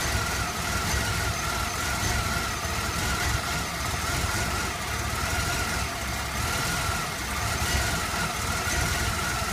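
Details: Chevy S10 Blazer, hard to start: steady idle with slow, irregular lumpy pulse about once a second; fuel pressure normal at 60-62 psi, chokes at full throttle, runs fine above 1300-1500 rpm; rough idle, cause not yet found.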